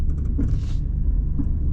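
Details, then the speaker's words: Toyota with KDSS, 4-wheel drive, climbing off-road on the traction control system rather than locked diffs: steady low drivetrain rumble with short pulsing bursts as wheels are braked. Normal traction control operation. "Now you notice with this, it's even smoother, right? Because of 4-wheel drive, you can hear the traction control system working there now."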